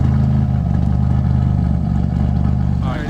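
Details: Engine idling after RJC V-Band exhaust gaskets were installed, heard on a walk-around: deep, steady, even idle burble with no ticking or puffing at the joints; exhaust sealed, running healthy.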